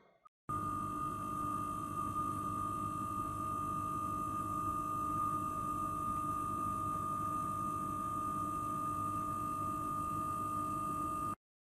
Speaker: the compressor it makes like a humming noise and you'll hear a tone probably 60 70 percent of the time maybe a little bit longer